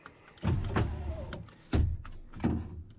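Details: 2000 Ford F250 Super Duty 7.3 diesel power window, working after a bad relay was found, before the window motor is replaced: short bursts of motor whir with a thud as the glass stops. Window moves up and down properly.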